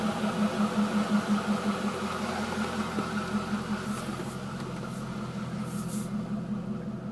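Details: C5 Corvette running: light regular click, nearly three a second, fading out, occurring only when the steering wheel is turned right; cause unknown.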